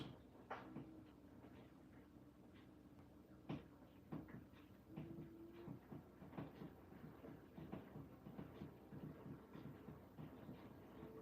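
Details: Washing machine on a Cottons 60 standard program with a chef-uniform load and i-Dos 1 and 2 on: soft, uneven thumps and water swish as the drum turns slowly, with no grinding or squeal. Normal wash tumble.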